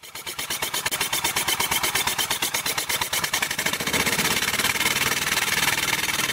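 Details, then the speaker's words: Engine being converted to steam, running on compressed air after filing the trailing edge of the modified camshaft lobe: a quick, sharp puffing beat near three per second that speeds up and smooths as air pressure rises. It runs cleanly and sounds much better. "so let's see how we did it sounds much better so let's apply some more air"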